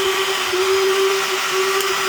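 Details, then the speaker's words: DeWalt DCS551 cordless cut-out tool with the power switch off: steady high motor whine at constant pitch; the motor runs with the switch off, later traced to a short in the handle wiring caused by metallic foil tape. "Okay. That's uh that was with the power off and that's this is this is still with the power off."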